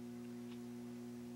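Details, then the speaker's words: RCA MI 12182-A 70W theater amp during bias adjustment: steady low mains hum with buzzy overtone from unbalanced output tubes; bringing one tube up to 28 mA and the other up from 24 mA makes hum fade as tubes balance. "so as we get there I went just a little higher because I heard the hum go even further down I'm suspecting that really means that tube is the tubes are both balanced now"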